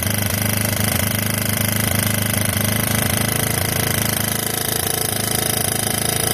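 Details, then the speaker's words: 1986 Yamaha YFM Moto4 200 ATV after carburetor work: fast, even single-cylinder chug with no weird rattles or knocks; normal running. "Well, I don't hear no weird rattling sounds or anything going on, so that's good."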